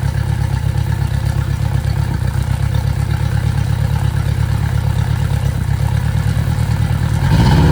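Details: Yamaha 60 hp outboard on a Bay Craft 17'5 skiff, first start after mounting, steering cable not connected: even steady beat with a clean rise in revs; idling and running well.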